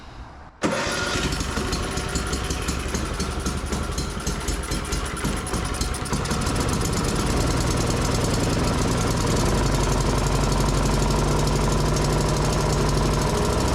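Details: Yamaha YS624T snow blower after recoil and electric-start repair and carb cleaning, choked, medium throttle: catches at once and settles into a steady, even run that climbs as throttle opens; normal start and idle.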